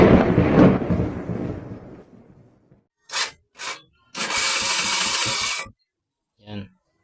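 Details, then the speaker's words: Motorcycle with hard starting: short bursts of cranking, then one long steady churn of about a second and a half that never catches; weak spark, ignition coil suspected. "so mga bale mahina yung kuryente niya hindi siya basta na lang aandar"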